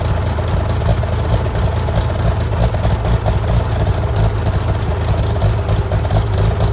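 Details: Farmall tractor (1949 H or 1968 656, unclear which), troubled by fuel problems and cutting out; carburetor adjusted after it hadn't run over 30 seconds, coolant was 2.5 gallons low. Steady, even, unbroken low rumble with no misses or knocks; normal running.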